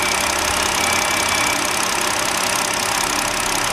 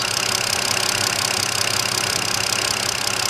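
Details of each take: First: 2009 BMW 5-series idling with an uneven beat and occasional dropped pulse from a misfire; scope waveform confirms an ignition coil intermittently failing, mostly under load. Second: 2009 BMW 5-series, after a misfire traced to a bad ignition coil, checked with an ignition analyzer showing all six cylinders steady. Even idle with a smooth quick pulse and no stumble. Normal running.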